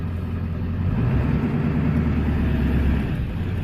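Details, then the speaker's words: Ford F350, 283,000 miles, replacement transmission about 120,000 miles, torque converter 8,000, refilled with about 4 gallons fluid; deep steady drone bogging slightly as gearbox picks up load, pulling evenly, no slipping or clunks; engaging properly. "Hear it lugging, that means it's working."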